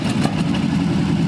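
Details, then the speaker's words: Abandoned Cadillac 331 V8 run on the floor, fed from a small fuel tank after plug, wire and points work: steady, even rumble with no knocks, misses or ticking; runs well, with the old carburetor working fine. "so it actually ran really well i was impressed with how well that carburetor worked"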